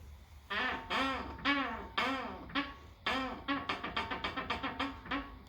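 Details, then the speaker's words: Tesla Model 3 front left corner: repeated groaning creaks like a creaky door as the steering turns, also when accelerating from a stop and over bumps; dry upper ball joint suspected. "the front left corner has a weird creaking sound it's like a groaning or moaning sound kind of like uh like a creaky door or squeaky door"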